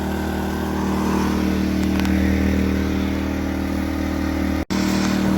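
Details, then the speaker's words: New Predator 2000 inverter generator running in eco throttle mode, idling down: a steady, even low hum with no misses or knocks, settling to a quiet, relaxed speed; normal running. "it will should idle up but if you don't want it to idle up and down you just push this off"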